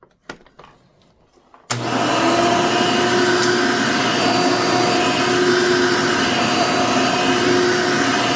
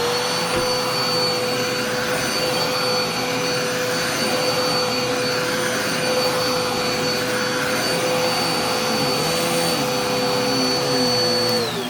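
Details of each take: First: Genuine Hoover vacuum, reasonably cared for, 99.9% microfiltration: motor kicks on, steady even high whir, constant tone, no rattle or labouring; healthy, needs only cleaning and a belt, likely stretched, struggled with small paper bits. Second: Dusty-filtered vacuum: steady high-pitched, thin, strained whine like choked airflow, winding down at shutoff; sounds clogged with weak suction, but found not clogged; likely needs filter cleaning, general cleaning and probably a belt.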